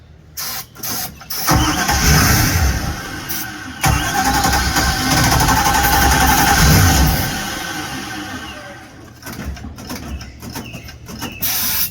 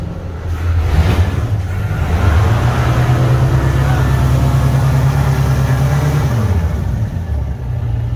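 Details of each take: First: 1973 Holiday Mansion houseboat engine: short cranking bursts, then a rough catch on sprayed fuel that runs a few seconds and fades. It cranks but gets no fuel supply, so it's fuel starvation. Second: 1973 Holiday Mansion houseboat inboard motor running after rebuild and fuel reinstalled, backing out of the marina: steady, even low drone with no knocks or misses; normal running under way.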